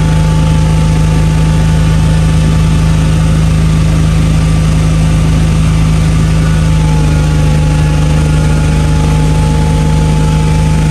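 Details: Toyota MK3 Supra, stock-block six on Haltech standalone after hub-dyno tuning of idle, cranking and fuel tables so it fires every time hot or cold; steady, even idle with smooth low hum, no misses, knocks or hunting.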